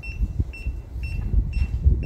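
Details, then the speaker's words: Rotary laser level receiver on a grade rod at a house foundation formwork site: short high beeps repeat about every half second at steady pitch over low site rumble as the laser reaches the set height; receiver on-grade beep. "회전 레벨기의 레이저선이 뱅뱅 돌면서 지정된 높이값에 도달하게 되면 수평대에 장착된 리시버에서 경고음을 보내줍니다"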